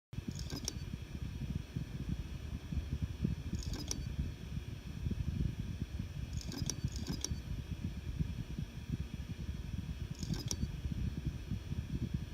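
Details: Seagate Barracuda Pro 8 TB hard drive; over a low steady hum, sharp metallic clicks in pairs every few seconds, like scissors closing, metal on metal; abnormal clicking confirmed by Seagate as not normal, cause unknown.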